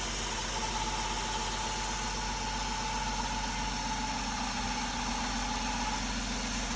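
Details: BMW E36: even idle with a thin whine and slight rough rasp, seeming to come sometimes from mid-engine, mostly from the front; alternator pulleys ruled out, cause unconfirmed.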